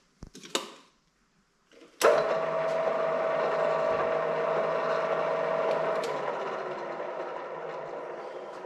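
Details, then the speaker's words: MDW 3000 drill press (380V 3-phase motor, 8-speed gearbox) after repairing broken gear teeth with 3D-printed parts and epoxy: steady even motor hum with smooth gear whirr, previous knocking gone; gearbox running normally. "There's no knocking sound anymore, so that's a good thing. [Applause] Sounds much better now."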